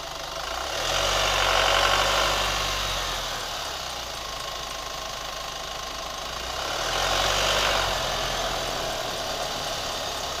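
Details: Idling engine of a new Chevy Colorado pickup: a quick, steady tick riding over it, roughly four ticks a second; a rubber squeak is also reported.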